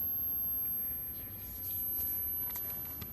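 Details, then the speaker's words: 1981 NEC JB-1201M monochrome green CRT computer monitor after replacing a transistor with a 2SC3203: faint steady high-pitched squeal at power-on; flyback/deflection stage running normally. "i can hear it squealing"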